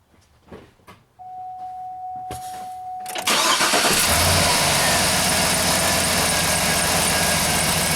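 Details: 2007 GMC Yukon V8 after replacing the driver-side motor mount for a clunk on acceleration: chime, quick crank, then a steady even idle with no clunk or thump; considered fixed.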